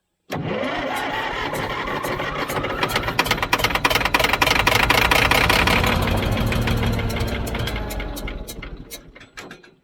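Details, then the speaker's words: Old Caterpillar D6 dozer diesel, after fuel supply fixed, cranks, catches and climbs into hard even clatter for several seconds before settling; engine starting normally on fuel. "yes oh my goodness all right that's amazing once you get a little fuel to something"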